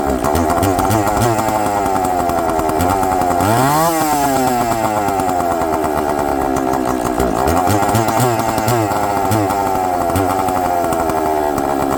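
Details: Chainsaw with good compression, running after a little fuel was given at the bottom: a crisp two-stroke snarl that revs up and drops back cleanly with quick throttle response. The diaphragms are probably still hard.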